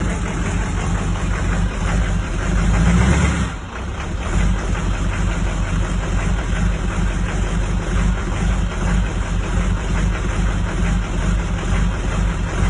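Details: Rough idle of a 2004 Duramax diesel: deep idle with an uneven, loping beat and no steady rhythm; cause not evident.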